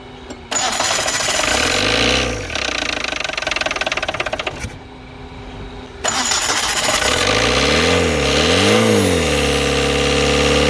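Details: Tata Indigo diesel cold start after 5 years parked, fuel primed with the lift pump. The engine cranks, catches and stumbles into a ragged idle with uneven rev surges; the crew suspects something is jammed. Rough start after long storage.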